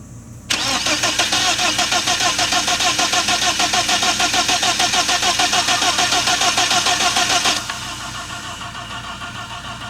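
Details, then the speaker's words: BMW 1997 318i M44 engine, freshly rebuilt, first crank with coil disconnected to circulate oil: steady starter cranking at about three pulses a second, even compression rhythm, no catch, knock or grind; normal cranking. "sounded halfway normal"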